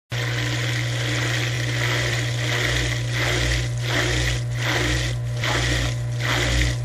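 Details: Traditional dishwasher circulation/drain pump: steady low motor hum under rushing water with rough, gravelly surges, cavitation noise.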